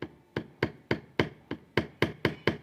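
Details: Honda PCX motorcycle, brand new (0 km): sharp hard dry plastic-metal clacks about four a second as the passenger footpeg is moved; loose passenger footpeg rattling.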